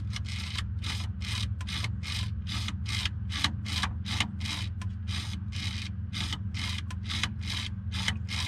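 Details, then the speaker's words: Ambulance conversion with a DT466, power door lock actuator worked by hand: a dry rasping scrape about twice a second, rough and gritty; grit inside the actuator is suspected. "boy it sure sounds like there's a bunch of grit grit inside of that so let me get my glasses on"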